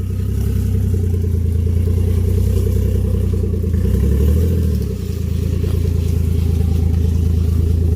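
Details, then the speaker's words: 1JZ GS300 on stock turbo with exhaust removed, last drive before big turbo upgrade: loud, raw deep rumble with a brief rev and pulsing exhaust chuff. "This is the last drive of the car with the stock turbo on it. That's it. No more stock turbo. As you can hear, the exhaust is off."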